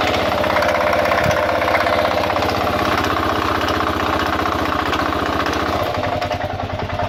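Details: 2000 Kawasaki KLR650 single, about 41,000–45,000 miles, clutch plates replaced about 1,000 miles ago, doohickey reportedly done, choke-started 15–30 minutes earlier: busy uneven clacking and gritty rattle over the idle thump, cause unknown.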